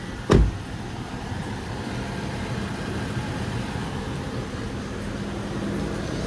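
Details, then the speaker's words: 2016 Toyota RAV4, front-wheel drive, lifted and rolling in drive: steady low growl with faint hum from the bad right-front (passenger) wheel bearing; driver side quiet; noise changed with speed. "So, what's going on is the wheel bearing is bad on the passenger side. It's making a really bad grinding noise when you're listening t"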